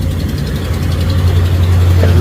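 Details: Hemi V8 idling with a faint, quick ticking that keeps pace with the engine, from an exhaust manifold gasket leak; fix is a new manifold gasket, manifold itself not needing replacement.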